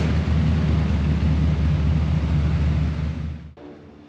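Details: Holden LX Torana V8 barn find, already warmed up, exhaust temporarily dumped before the diff with tailpipes removed: deep, even V8 burble with a steady lumpy beat, then clean shut-off; healthy engine.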